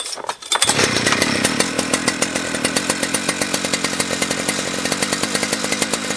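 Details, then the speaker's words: Husqvarna 3120XP chainsaw fitted with an unlimited 272-type two-prong coil and new flywheel: sharp, high screaming two-stroke at full throttle, steady and clean, tach reading about 12,300 rpm, no bogging. "what do you think the RPM was it uh at Full Throttle there would that sound like to you"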